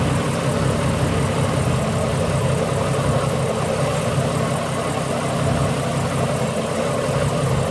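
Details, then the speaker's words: Ford BA Falcon inline-six with failing ignition coils, front three still factory coils: uneven, stumbling idle with occasional dropouts in the rhythm; misfire before coil replacement. "Pull a plug and see if it still stutters. It should stop stuttering."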